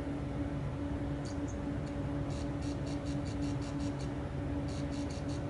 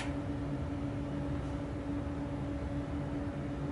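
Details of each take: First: Newly built Weber 6A14 tube guitar amp kit taken off standby: faint steady tube buzz with no speaker output, because the lead to the test speaker had become disconnected. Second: Newly built Weber 6A14 tube guitar amp kit idling off standby: only a faint steady low hum and soft hiss, no bad noise, working normally.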